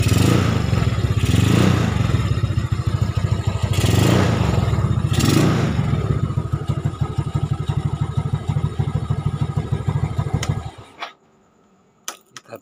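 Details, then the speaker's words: Yamaha Nouvo Lele bored up with 58mm piston and large carburetor, previously very sluggish, after repairs including stand fix: revs climb and drop cleanly, steady even exhaust beat through leaky exhaust, then shuts off; normal running. "Jadi rada nyenyak-nyek ini suaranya Lur knalpotnya bobokan Lur"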